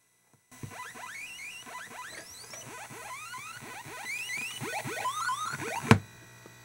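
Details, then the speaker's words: Commodore computer with a faulty MOS SID sound chip: voice one silent, just quick sweeping chirps over hissy noise, then a sharp crack as output cuts out and the computer crashes. "you hear nothing on voice one at all well i hear just noise"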